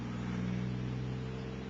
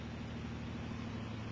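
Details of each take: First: Second Bedini pulse motor (1,000-turn coil, three rare-earth-magnet rotor) now on a 12 V battery: steady, even low hum at good speed with no knocks or rubbing; normal running. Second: Second Bedini pulse motor (2008) on alkaline batteries, 1,000-turn coil, three rare-earth-magnet rotor, rheostat turned to voltage dropout then backed off slightly: steady low hum with fast wavering flutter as the motor oscillates; power pulses return.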